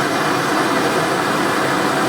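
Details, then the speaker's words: 1/2-inch Amal gas forge burner run outdoors at night with the choke wide open: steady, even roaring hiss with no pulsing or popping, giving a rich blue flame. Normal burner operation. "I know it's noisy, hopefully you can hear me. Well, that's with the choke wide open,"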